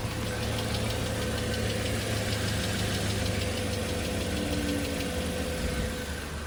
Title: Engine bay clicking noise